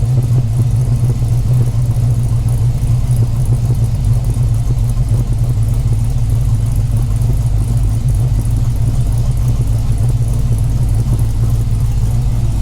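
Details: 5.7L Gen III Hemi V8 in a Dodge Challenger at idle after installing a Texas Speed high-lift cam, Holley Sniper fabricated intake, MSD ignition and new valve covers: deep, even rumble at steady idle, no ticking, knocking or misfire; healthy.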